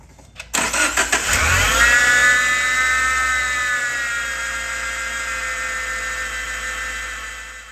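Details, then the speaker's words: 2014-2018 Subaru Forester accessory drive: the engine cranks and catches, then a loud high screech sweeps up and holds over idle, common with a bad V-belt tensioner or idler pulley; fixed by replacing belt, tensioner and idler pulley. "this type of whining or screeching is common when you have a bad V belt tensioner assembly or I"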